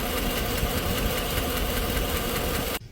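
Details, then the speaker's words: 2017 Chevy Suburban V8, 109,000 miles, in for a cylinder misfire (cylinder 4, later said to be cylinder 2): steady quick ticking over a rough idle that then cuts off, from a collapsed Active Fuel Management lifter needing a major repair. "a collapse lifter collapse lifter because the stupid ass AFM system that they put in there the active fuel management that are in these trucks are are going out so much faster now"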